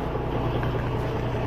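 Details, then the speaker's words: Volvo semi truck pre-trip inspection, brakes held applied, engine idling, listening at the trailer for air leaks; only low steady diesel idle, no hissing or escaping air; air brake system normal, no leak. "Идем к трейлеру. Тишина. Тишина. Прислушиваться надо просто. Мотор работает."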